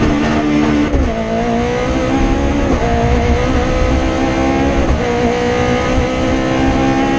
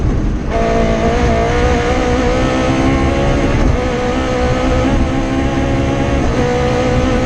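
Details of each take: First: Rally car on the Padmore Village to Golden Grove stage, Rally Barbados 2017, with a strong, clean rising pull through each gear, crisp shifts and no stumbling: a healthy engine at full throttle. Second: Rally car engine on the Padmore Village to Golden Grove stage, Rally Barbados 2017, at high revs under load with an uneven, stumbling, ragged note: a misfire from a dead cylinder after an injector wire broke around the stage's halfway point.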